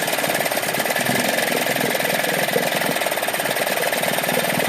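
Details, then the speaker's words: Dumpster-found Yamaha two-stroke outboard in a bucket of water after gear check, forward and everything working: fast, even buzz holding a steady note with no misses or knocks; running properly. "Everything works. Kill switch even works. Well, there you have it. This little thing's alive."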